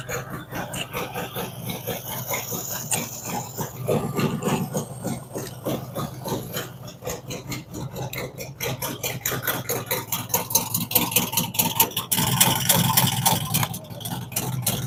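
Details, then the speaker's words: V-twin after cam and big-bore kit install with Thundermax tuning, fresh startup: loping idle with a firm, uneven potato rhythm drifting as it balances out; no knocks or rattles, normal idle. "This one will probably even out here in just a minute. It takes a little bit for it to balance out. There's nothing wrong there. It's just a fresh startup."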